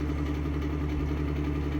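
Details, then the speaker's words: Fan motor still running normally with a steady low drone and rough, gritty undertone from ruined bearings, worsening over a long time despite oiling with 3-in-One oil. "the bearings are just ruined period so it is running like it's supposed to you just hear ruined bearings even though they're"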